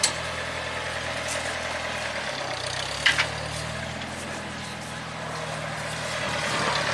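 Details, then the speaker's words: 1975 International Harvester 574 four-cylinder after carb main jet set to 0.055: low, even engine note that holds steady and picks up smoothly with no black smoke, stumbling or misfire; running well. "all right we're doing fantastic here so we going to give some Trel no black smoke amazing throttler sponse I think we're dialed in so 55,000 is on the main [Applause]"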